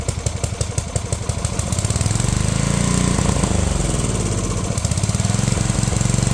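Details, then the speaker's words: Unknown-year childhood riding mower/ATV with many miles, throttle set high, in neutral, damp morning: small single sputters at first then settles into a fast busy beat that won't drop to low RPM; owner suspects governor needs adjusting, unconfirmed. "Okay, it does not want to run low RPM, and it sounds to me like it's revving too high, so I might need to do some adjustment on this governor right here."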